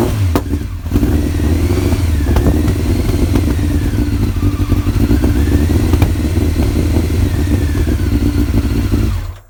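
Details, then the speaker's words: Honda Fireblade inline-four, off the road over 10 years, after carb rebuild, started in a warm shed: catches after a thud, then strong even revs with no misfire or knock, a bit smoky; normal running and revving. "Wow, that sounds [ __ ] mint. bit smoky but uh it's to be expected in it."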